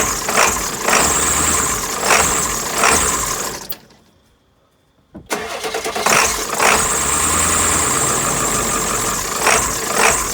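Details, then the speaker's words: Old 7.3 Powerstroke diesel truck, 430,000 miles, replaced engine, no battery, started off a NOCO GB150 jump pack the third time: cranks, catches, uneven loping idle; rough cold idle, cause unclear. "so not only two but three it did it three times the truck is you can hear it loping and stuff it's not it's not a new truck"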